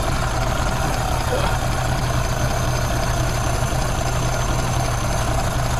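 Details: 1932 Ford Model B five-window coupe warming up after exhaust/intake manifold gasket replacement (cracked exhaust manifold), bolts retorqued: steady, low, even rumble with no hiss or stumble; no vacuum leaks, running pretty good.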